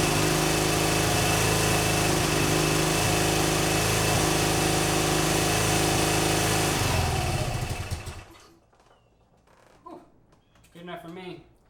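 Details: BMW R100GS Paris Dakar boxer twin, first start after engine reassembly: steady but lumpy idle for about seven seconds, then shutoff. Oil is leaking onto the exhaust, and the rough running's cause is unconfirmed.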